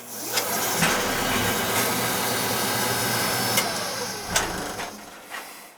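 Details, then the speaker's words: Oil-fired lowboy rear-flue furnace during annual service, TT jumped out: burner lights with a soft thump, then settles into a steady, even roar with no sputter or pulsing. Draft over the fire is good; firing normally, not starving for oil. "So when we turn it on, it should fire right up. It fires up."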